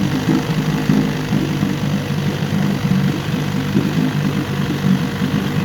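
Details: Evinrude 9.5 HP outboard after various repairs, started on a test tank in neutral on choke: steady low burbling idle with an even pulse and no knocks or misses; running healthy.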